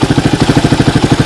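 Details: Suzuki DR200ES single-cylinder motorcycle, first run after acquiring, air filter refitted, temporary fuel line: steady, unbroken thump at about nine beats a second; idles okay, normal idle.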